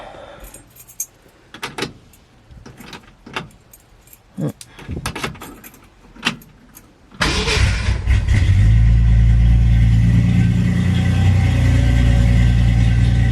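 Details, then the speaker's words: 1966 Ford Mustang inline-6 after custom exhaust install (simple downpipes, headers, Flowmaster mufflers before axle, header locking hardware not yet fully installed): keys rattle, cranks, catches, settles into deep steady idle with even exhaust note; sounds nice, normal idle. "thing sounds nice yeah that thing sounds"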